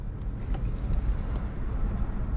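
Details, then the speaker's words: BMW i3 after repair of sheared motor mount bolt and damaged CV axle, driving under light power: low, steady road rumble with no clunks, knocks or grinding from the drivetrain; pulls away cleanly, range extender possibly running. "seems like we're at least functional now. So, that's that's obviously good. Give it a little hit of power here."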